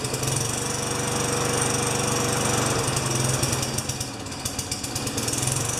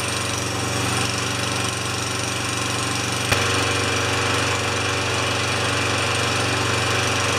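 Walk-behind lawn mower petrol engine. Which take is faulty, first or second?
first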